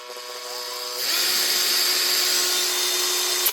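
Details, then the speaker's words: Makita BHP452 cordless drill from 2011, after fitting a new motor, armature, brush holder and brushes: smooth steady high whine from the trigger switch, the earlier clicking from the back gone; the motor spins evenly, much better. "Now, see what she sounds like. Much better. The sounds, you can still hear that high pitched whine, but that's the switch."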